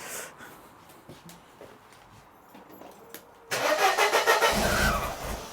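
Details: 1994 Mercedes W202 C180 after swapping coil pack wires that were fitted front/back wrongly: fast, even cranking about three and a half turns per second, spins freely but won't catch.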